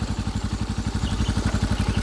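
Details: Suzuki Smash Titan single-cylinder motorcycle with new Shogun 0.75 oversize piston, valve clearance set tight (intake 0.5, exhaust 0.8), idling: even regular thump about ten beats a second, light valve tick, no knocks; healthy idle.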